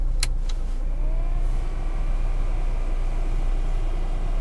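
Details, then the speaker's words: Lada 4x4 Urban after its heater blower motor was replaced under warranty for whistling in cold weather, the old one rubbing: on fan speed 1 a low, steady hum with no rubbing or knocking; much quieter than before, operating normally. "хотел дать вам послушать как печка шумит смотрите стала печка намного тише работы с первое положение"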